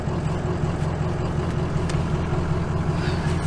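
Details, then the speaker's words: Early 2003 Ford 6.0 Power Stroke diesel on a road drive under load: deep rumble with uneven, lumpy pulse from a dead cylinder missing firing; buzz test showed no cylinder 5, before injector replacement. "Anyway, we're having some problems here on cylinder number 5, especially under a load."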